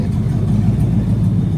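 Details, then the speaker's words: Fox body Mustang V8, warm, put in gear after two days of work: steady even low rumble with no knocks or misses, smooth as silk; normal idle. "Put in gear. Yeah, buddy. Smooth as silk. And, hold on. Listen to it idling like it ain't shit."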